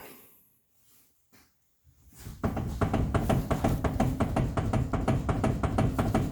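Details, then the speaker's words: Car steering wheel rocked side to side after new tie rods failed to cure the clunk: sharp clunks about three a second, felt at the outer tie rod on one side. Worn rack end bushing suspected. "So as I hold on to the outer tie rod, you can feel that clunk, clunk, clunk, clunk, clunk as she's shifting it back and forth. So it's definitely rack and bushing."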